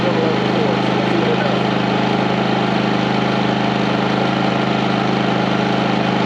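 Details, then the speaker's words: 4500 W generator on a 30 A RV service running both 15,000 and 13,500 BTU RV air conditioners fitted with soft starts: a steady, even drone with a constant low hum and no surge or dip. It carries the load smoothly. "okay so the question was will a 15 000 and a 13 5 run with this all star rv on both of them on a 30 amp service the answer is yes with power to spare transition of the compressor is kicking in so much smoother"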